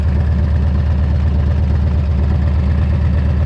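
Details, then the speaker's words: Harley-Davidson after replacing cracked exhaust crossover pipes, new brake caliper; oil seen leaking from carburetor: deep, even V-twin lope at idle with steady firing pulses, no ticks or rattles; normal idle. "But man, she sounds good, she's running good,"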